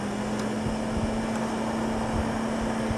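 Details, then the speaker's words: Gateway LP Mini Tower with a slot 700 MHz Athlon, case fan refitted while running. A steady low hum with a constant rushing air hiss: a lot of blowback noise from a fan that is not a static-pressure type. "One thing I do not like about this fan, there's a lot of blowback. I don't know if you can hear that, but there's tons of blowback. This is not a static pressure fan at all."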